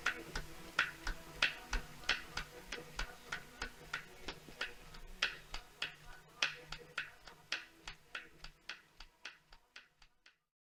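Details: Smart Roadster idle: a hollow, regular clatter of about three knocks a second over a low hum. This is piston slap from worn piston-to-cylinder clearance, a cold clacking that improves as the engine warms.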